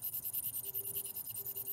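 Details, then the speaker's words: Ultrasonic TX1 micro tip during medial epicondyle calcification treatment, foot pedal depressed: fast, even pulsing hum with a faint steady tone, meaning sonic energy is being delivered; tip working normally, not occluded. "when the micro tip is functioning properly you can hear a auditory humming which means that the sonic energy is being imparted"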